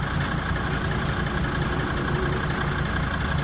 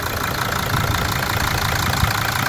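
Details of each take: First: Mercedes 2.7 OM612 five-cylinder diesel, cold idle, about 150,000 km since cylinder head replacement: rough uneven idle with dull repeating boom-boom thud under the clatter; intake knock from leaking injector seat with stripped thread. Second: Mercedes 2.7 OM612 diesel at a steady, even idle with ordinary injector clatter and no knock or misfire, after the intake knock repair and a stripped injector thread were fixed and the injector refitted.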